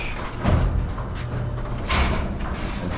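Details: Over-12-foot RV garage door with belt opener, closing: steady low rumble with uneven clanks, creaks and scraping from worn steel roller bearings, before replacement with nylon rollers.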